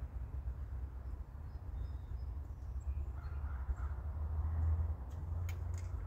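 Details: Norwood HD36v2 bandsaw mill with new roller guides replacing the ceramics, slabbing a big black oak log in 1.5-inch cuts through the bark: steady deep drone, no bogging, squeal or chatter; band sounds happy, cutting effortlessly under load.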